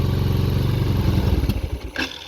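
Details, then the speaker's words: Chinese 250cc ATV with new carburettor, new battery and oil, possibly diluted bad gas: runs well on full choke, then falters and dies within about half a second as choke is eased off; owner suspects it needs throttle. "but with the choke all the way on I'm seeing less green fuel coming out let's try letting off the choke a"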